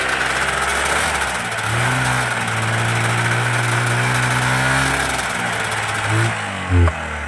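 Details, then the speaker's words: 1991 Yamaha Ovation two-stroke snowmobile, unrun about five years, in the cold: runs rough and uneven a few seconds, note sags, then dies; fuel not flowing fast enough, fuel starvation stall. "You're just not flowing fast enough. Yeah, it's quitting. I think she's We got to take her off life support, man. [Applause] Yeah, it's just not getting enough fuel fast enough."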